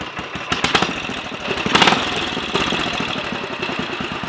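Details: Royal Enfield 500 single (Asbo 34) after rebuild and adjustments (ported head, barrel shortened 2 mm, Hitchcock's 9:1 piston, strobe-set timing), third start, not yet road tested: steady even idle thump, no knock or rattle; healthy normal idle.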